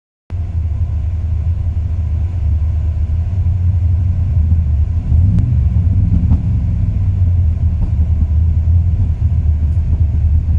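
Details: 2002 Ram 1500 5.9 V8 warm idle: deep, steady with a slight uneven lope and rpm dip; runs perfect cold, rough after 3-5 min warm despite new plugs, wires, cap, rotor, cam and crank sensors; cause not found.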